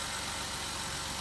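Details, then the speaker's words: Jeep Wrangler JK (JKU) idling while steering stop to stop to purge air after power steering pump and pulley replacement: smooth, even idle with a steady low pulse, no pump whine; running nice and smooth, normal idle. "Just go stop to stop a few times, looking for some air bubbles to coming out. And everything's running nice and smooth."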